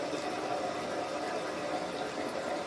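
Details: Toto 528 toilet after replacing an inexpensive part to cure a weird noise when flushing: a steady hiss and rush of water with no squeal or chatter as the tank refills to the max fill line; the fill valve now works normally.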